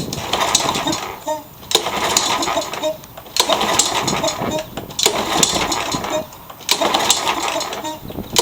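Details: Curb-found mower, blade-brake kill switch zip-tied, started on carb cleaner, first run heard; busy even putter with brief dips, sounds good, rear-wheel drive works; normal running.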